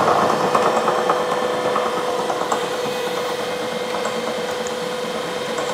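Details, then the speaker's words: A 1 HP Bridgeport R8 milling head on a planer drives a 5-inch face mill over hot-rolled bars about 0.030 in out of square. Irregular light ticking, roughly three a second, over the spindle hum: an interrupted cut catching only one side. "as you can see it was just hitting on this side and these bars are not Square these hot roll bars actually about thirty thousandths of not Square"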